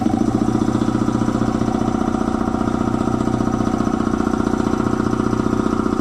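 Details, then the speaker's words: Air compressor slowing down after an oil change to synthetic oil, previously thought to be tying up: pump thumps slowly and evenly, about two and a half strokes a second, well under speed; the drive belt was found loose. "That belt might be a little bit loose."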